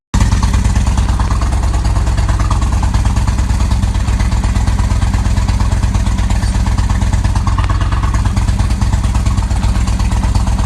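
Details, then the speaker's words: 1998 Kawasaki Vulcan 1500 Classic, reassembled after case and needle bearing replacement and a jet kit, runs with a deep, even V-twin rumble and a steady beat, with no knocks or ticks. It sounds healthy. "all right quick update on the vulcan everything's back together working good"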